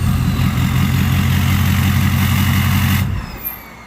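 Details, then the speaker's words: Ford 6.0 Powerstroke diesel with stock turbo, before a bigger turbo swap: deep, steady rumble with an even beat, no knocks or misses, then a clean shutdown; sounds healthy. "Alright, so that's what it sounds like with the stock turbo."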